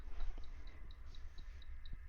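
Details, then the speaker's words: Wine cooler just plugged in gives steady high chirps about four times a second over a low hum. No lights, buttons unresponsive, and it does not get cold. Faulty and not cooling; later fixed with a screwdriver. "If you can hear the chirping right now, and there's nothing lit up here, none of the buttons work. Nothing is happening, and when I've left it on in this kind of situation, it doesn't get cold."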